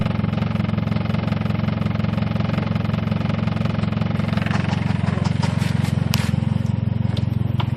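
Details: 1G Talon AWD at steady idle with a regular knock, about three a second, in time with the engine; owner suspects rod knock but also considers a dead lifter, binding valve spring or failed transmission; source unconfirmed.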